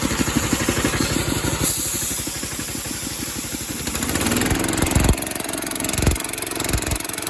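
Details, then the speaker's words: Old 8 hp Briggs engine, about 3,400 rpm, driving a Rol-air K30 compressor pump via a 4.5-inch pulley, idle-down unloader fitted: quick, even pulses pick up as it throttles up to pump. Healthy running under load. "So anyway, let me fire it up. I'll show you what it sounds like. So that's idled down. Let me let some air out and it'll pump"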